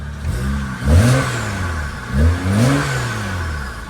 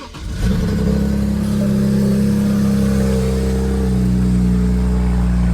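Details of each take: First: BMW N54 with newly installed downpipes, which had been misfiring (owner suspects an injector issue): two clean revs climb and fall back evenly with no stumble or popping. Normal revving. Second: BMW N54 with uncatted downpipes just installed, started via jump pack after a fuse fix and earlier cylinder misfires: engine catches after a brief crank and settles into a deep, loud, steady drone. Loud exhaust after downpipe install; the engine later shut off.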